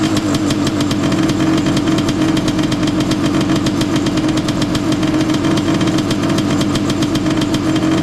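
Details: Honda CR500 two-stroke in a Schwinn trike with pod filter, no airbox, stinger exhaust, choke on: dull, lazy, sluggish idle that never clears; engine loaded with fuel from earlier no-spark start attempts, boggy idle, jetted down to help.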